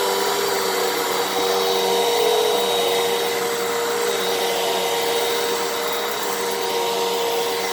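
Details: 12 Amp Fantom Fury upright vacuum, made October 2000, after clog repair, cleaning carpet: steady high motor whir with even airy rush, no surging or rattle; normal running with full suction.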